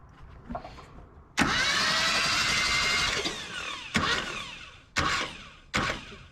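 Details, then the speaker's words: Old truck with points ignition, cranked with a jumper wire to the coil after cleaning the points: the starter whirs about two seconds, then short bursts, and it never catches. A cranking no-start with a super weak spark. "it is sparking a super weak spark we can definitely do better than that"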